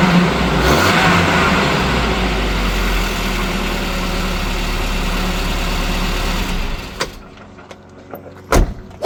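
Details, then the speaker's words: 1987 Volvo 240 GLT redblock petrol engine at 880,000 from new, idling evenly after downpipe replacement, then shutting off with a few clicks; a slight blow remains at a rear exhaust joint, probably from no paste. "still a little bit of blowing from one of the joins in the back but it's probably CU I didn't use any paste um cuz I forgot to buy some"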